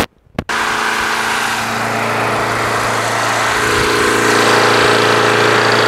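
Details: Craftsman push mower with Quantum engine after winter storage, primed and started. After a brief start, steady even buzz at constant governed speed, no hunting or misses; healthy running.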